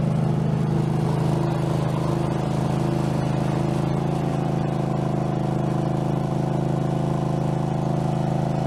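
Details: Craftsman garden tractor, possibly Kohler engine (badged 22 hp, possibly 18 hp), after mower deck blade spindle replacement, no play in spindle: steady drone with blades spinning, about three pulses a second, no knocking or wobble.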